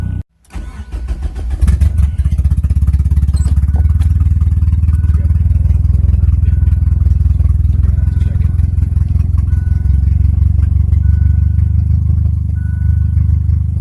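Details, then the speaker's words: Mazda Probe on a DIYPNP ECU, cold start: it catches into a low, slightly lumpy idle with no fast idle. The ECU is not recognizing the idle air control valve, either from wiring or from a faulty valve; the owner may replace it or tune around it. "problem with the ECU not recognizing the idle air control valve or yeah idle air fast idle control valve whichever one it is so that when it Colts start when you're starting it initially it doesn't rev it up"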